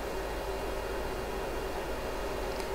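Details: Riden RD6012 switch-mode 800W supply after a fix for earlier failure, 60 V out at about 240–360 W load heading to 720 W, heatsink starting 26 °C: steady even fan rush, faint constant tone, no surging; healthy under load.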